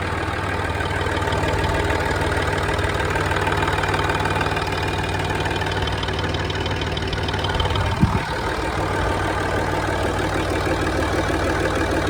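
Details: Land Rover Discovery 3 (LR3) TDV6 diesel at cold start and idle: a louder, steady light tick-clatter about twice a second over the rumble, source unknown; engine ticking at cold idle.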